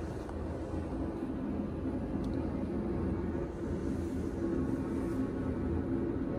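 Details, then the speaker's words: HeatStar 50,000 BTU garage heater at first start after a new install with a 4-inch horizontal vent kit and gas leak test: steady, even roar of burner and fan, no knocks, rattles or surging; burner operating normally. "i started to fire up there guys the burner is going on now pretty exciting"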